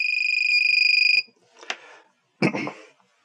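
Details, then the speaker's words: KK2.0 flight controller on a 330-class quad fitted with LED lights: rapid, shrill beeping runs nonstop, even when armed or running the motors, until switched off; it is the low-voltage alarm, because the battery-voltage sense pin was left disconnected. "now what's actually causing that is the low voltage alarm"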